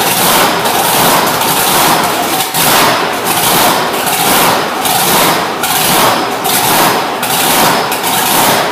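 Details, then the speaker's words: Plymouth Road Runner with freshly installed blown V8 (blower, mag, new fuel system, headers), timing and idle fuel set, fired up in cold shop just to check it runs: loud lumpy idle surging about once a second; normal idle. "i just fired it up just to see if it would run and idle and uh it did so i just shut it off"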